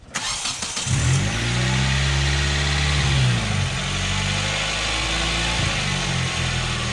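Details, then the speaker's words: Korean-made sedan with good engine oil, before olive oil test, hood closed: quick crank, clean catch, brief rev, then smooth steady four-cylinder idle with no ticking or knocking; runs great, normal start and idle. "as you can see this thing runs like an absolute champ it seriously does it runs great"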